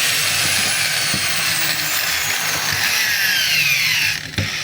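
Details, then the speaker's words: DeWalt DWE8200PL 4-inch angle grinder, free-running opened for estimate: harsh high gritty whine, steady; tagged bearing fault, suspected bearing or gear and pinion noise, brushes short, not very sparky. "hindi siya ganun kasiklab mga kabay, pero maingay siya. Ayan. So yung ingay na yon pwedeng sa bearing, pwede rin doon sa kanyang gear and pinion."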